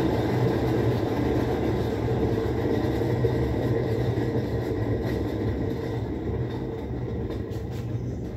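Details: Whirlpool 17 kg top-load washer that fills then stops washing, run in automatic test mode: after the actuator shifts the agitator mode, a steady low drone and even whirring hum with no knocks or scraping. The spin is normal.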